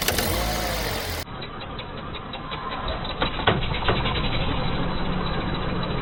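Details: Hyundai Accent (TagAZ): a few sharp metallic clunks over the engine when moving off and braking; caused by a worn front right engine mount, due for replacement.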